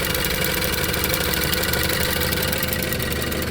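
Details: 2017 Range Rover Evoque, four-cylinder turbo with 163,11 (as stated) miles, idling after a failing ignition coil was replaced and all coils tested good: smooth, even idle with no stumbles, running cleanly on all cylinders.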